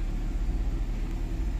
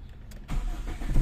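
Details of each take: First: Toyota 4A-FE, customer complaint of high idle: fast, steady idle hum with an even pulse and no dip; idle too high from a dirty throttle body and seized idle air control valve. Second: Warm Toyota 4A-FE after high-idle repair, throttle body previously not seated properly: short crank, catches firmly, settles into an even low rumble with no stumble; normal start.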